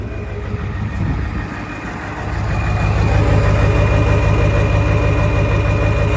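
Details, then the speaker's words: 1973 Ford F250 with turbocharged 7.3 IDI diesel on Superduty axles, idling: steady, even low diesel rumble with light clatter, smooth rhythm, no knocks or misses; healthy turbo diesel idle. "sounds like a power stroke to me if you guessed it's a 7.3 you'd be correct but if you guessed the power stroke you'd be incorrect it's a 7.3 IDI Diesel with a turbo"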